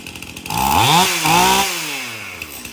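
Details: Stihl MS271 chainsaw, hard to start, suspected bad fuel; after tank found clean and fresh mixed fuel added: revs up cleanly, falls back, settles to steady idle without stumbling; now idles and revs, runs pretty good.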